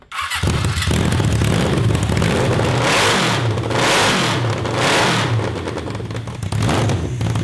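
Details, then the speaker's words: Honda CB750 750cc cross kart engine just swapped to dual 34mm Mikuni carbs with drilled emulsion tubes: starts and revs in uneven surges, stumbling and hunting between blips; running lean, jetting too small. "so it's not perfect it's too lean it's too small"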